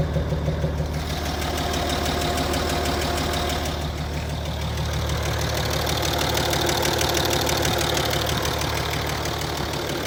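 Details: Land Rover Discovery 3 2.7 TDV6 diesel, hot engine at idle: steady, even knock around three per second over the diesel clatter; cause not yet determined.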